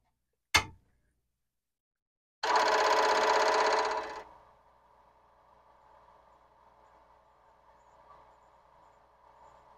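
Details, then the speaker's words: Commodore PET 4040 disk drive at power-on: one sharp click then about two seconds of dense head-seek chatter fading to a faint hum; drive 0 chatters normally while drive 1's stepper platter spins instead, suspected fault. "it signs it sounds just fine but when I look in from the top I find the drive zero is doing its regular chattering thing in drive one it's not"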